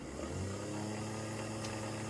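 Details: Old-school Athearn Blue Box gray jet motor after about 20 minutes of tune-up, stabilized near 0.46 A: steady, even hum, constant pitch, no catching or rattling; runs smoothly and freely broken in.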